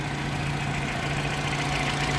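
A petrol car engine idling with a steady, even hum and no knocks or misses.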